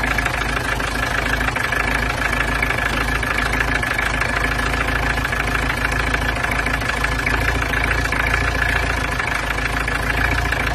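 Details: Peugeot 505 GLD XD3 diesel first start after cylinder head gasket replacement with combustion chamber inserts fitted: steady, even diesel clatter at idle with no misses, knocks or surges; runs smooth and healthy.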